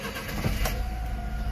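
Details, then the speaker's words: Honda Acty HA4 4WD mini truck restart: engine catches almost immediately and settles into an even low idle with no misfire, slight rattle suspected from a heat shield; healthy quick start. "starts right up there's something a little bit of rattle sounds like one of the heat shields"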